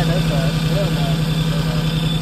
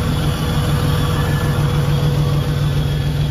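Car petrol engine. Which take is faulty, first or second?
first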